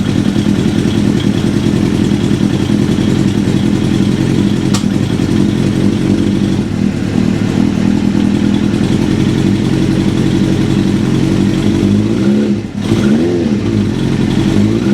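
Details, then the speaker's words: 1996 Suzuki GSX-R750 SRAD track bike on a cold start with Keihin FCR39 flat-slide carbs and no choke, so it is harder to start. It gives a lumpy inline-four idle with a light mechanical rattle and throttle blips, the normal flat-slide carb rattle. "No choke, but you can probably hear that glorious rattle."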